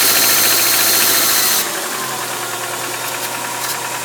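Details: 2001 Subaru Outback 2.5, 278k miles, valve adjustment done: a fast, fairly even metallic rattle, three or four a second, over the engine. It is strong during the first 10-15 minutes accelerating and lessens later; source unknown.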